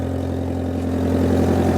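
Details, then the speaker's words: Mitsubishi Pajero Junior 1100cc 16-valve ECI-Multi, automatic, scrapyard car started on jump pack: runs smoothly with an even idle and fast puffing chuff over it; exhaust leak, possibly at the downpipe. "Clearly got a bit of an exhaust leak, but that is running beautifully. Oh yeah, that might even be on the downpipe by the sound of it."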